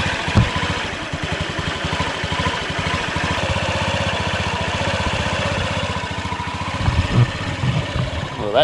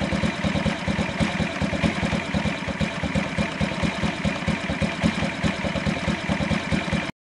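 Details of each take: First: 2003 Honda Ruckus scooter after carb work. The single catches and settles into a quick, even putter with no misses or stumbles. Normal idle. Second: 2003 Honda Ruckus scooter single putters at idle with loping, uneven beats after a fuel pump and fuel filter replacement. It is wetting the spark plug, and the owner suspects the carb jet was drilled out too far. Running rich, flooding.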